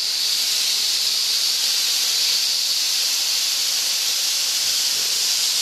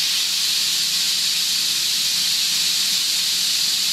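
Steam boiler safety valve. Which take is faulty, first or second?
first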